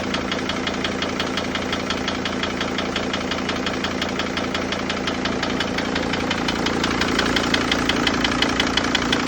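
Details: Mercedes Sprinter T1N OM647 diesel, 182k miles, idling with a sharp regular knock about three a second over normal clatter; running with knock 5000+ miles, fresh oil change showed a few metal flakes; owner unsure if injector or larger issue.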